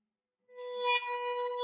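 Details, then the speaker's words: Stepper Online 5SV57T-180S closed-loop servo on a FluidNC machine during tuning. Raising the stiffness setting above 11 gives a piercing, steady, screaming whine near 500 cycles, and setting it back to 11 stops it. Servo whine from excessive stiffness gain. "Now if I change this uh above 11, we get a screaming noise which is pretty undesirable"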